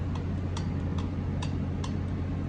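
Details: John Deere 1025R compact tractor, engine running: sharp, regular ticking rattle about two to three a second over a steady low drone; nuts on the front driveshaft carrier had come loose, the carrier rattled and its bearings were damaged.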